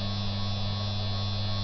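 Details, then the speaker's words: Higher-quality 3 kW water-cooled Chinese spindle with better bearings, at 6,000 RPM, the first of 6,000 RPM steps up to 24,000 RPM: smooth, quiet, steady low hum at constant tone, no rumble or rasp. Normal running. "that's 6,000 now going to 12,000 now 18,000 and finally 24,000 RPM that's now running at full speed we go back down"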